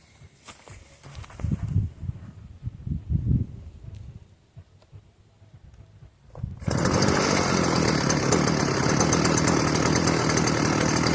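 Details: Stihl FS450 brushcutter after replacing the seized bearing on the clutch drum, which had let the engine run while the head didn't spin, circlip fitted: engine fires and settles into a steady, even buzz with no rattle or grind; runs healthy.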